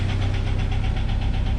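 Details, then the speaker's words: 1997 Jeep Wrangler TJ 2.5L, about 214,000 miles, after earlier timing chain replacement: rough, heavy, low-pitched idle with a steady regular knock; major internal engine failure, engine to be pulled for rebuild. "Yeah, something has went majorly wrong."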